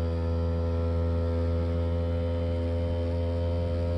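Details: MrCool 18k BTU DIY single-zone mini-split outdoor unit in a blizzard (Winter Storm 2022), iced-up coil defrosting on its own with outdoor and indoor fans off; deep steady compressor hum, even buzz; normal defrost cycle.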